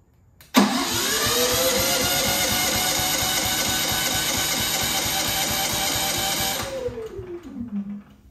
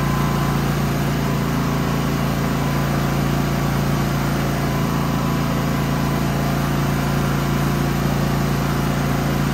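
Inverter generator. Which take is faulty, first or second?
first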